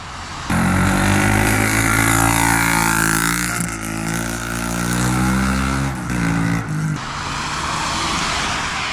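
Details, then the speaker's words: Suzuki DR-Z400SM single-cylinder running hard before muffler repacking; harsh, raspy, overly loud exhaust bark, much worse than after new packing was installed: loud exhaust from worn, blown-out muffler packing needing repacking. "And so in my opinion, the most forgotten about maintenance is your packing in the muffler. I'll put a video up right now of what the bike sounded like when it needed to be packed."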